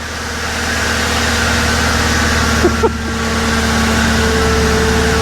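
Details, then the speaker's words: 1957 Ford Ranch Wagon, after resetting tripped fuel pump inertia switch that caused no-run: steady even idle with smooth low hum, no knocks or misses; normal idle. "Maybe it'll start now. Yeah. That's what it was. Fuel pump uh the inertia switch has tripped."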